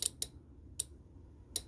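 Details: Golf cart charger (Powerdrive) 48 V relay on the bench: four sharp dry clicks as the cord is plugged in and unplugged, relay pulling in and dropping out properly; normal operation.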